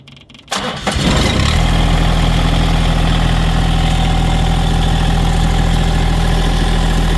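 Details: Diesel tractor cold start at about 5°F (owner says "50, probably 5 degrees") after sitting over a week with no battery tender; glow plugs used, neutral, mid throttle. Brief crank, catches within about a second, settles into steady, even low diesel rumble; clean cold start.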